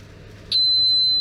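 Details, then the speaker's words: Automotive relay, multimeter continuity test across 30 and normally closed 87a with relay de-energized: quiet, then steady high-pitched continuous meter tone; normally closed contact good, normal continuity. "see no continuity however supposed to have continuity and 87a because that is the normally closed"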